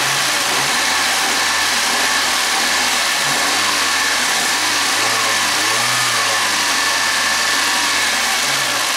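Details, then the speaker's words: Suzuki G16B 16-valve engine, Geo Tracker, 133,000 miles, after valve lash adjustment: smooth idle with light revs, no ticking or tapping, water bottle on engine barely shaking; valvetrain quiet and healthy. "that's how you know if you got your lifters in and the motors running good you got a little shake to the bottle mess yeah that bottle is just like that is there just chillin that's good"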